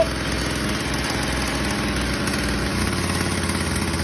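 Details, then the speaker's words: McCulloch B26 two-stroke petrol strimmer after a cold start, primed and on full choke; fast, even buzz with no misses or rattles as it warms up; normal warm-up idle. "As you can hear, it's warming up there."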